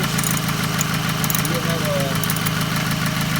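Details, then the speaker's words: 2008 Toyota Camry 2.4L at idle: quick sharp ticking about three per second over engine hum; lifters replaced with no change, traced to leaking exhaust manifold, replaced. "It's have a lot of noise for I think the exhaust manifold noise from there."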